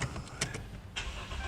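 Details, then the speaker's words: Dodge Durango with an intermittent no-crank/no-start; battery, connections and alternator were reportedly already done. With the push-start module removed and the physical key used, it cranks briefly, catches in under a second and idles steadily; it starts every time with the key. "So it starts every time with the key."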